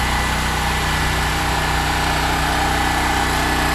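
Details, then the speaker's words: Smarter Tools STGP-3500EB 3500 W generator, 196cc 6.5 HP air-cooled OHV engine, first start, running without load from about 15 feet away: steady, even drone, no surging, knocking or rattles; normal and quiet. "It runs really quiet, actually. It's not bad at all."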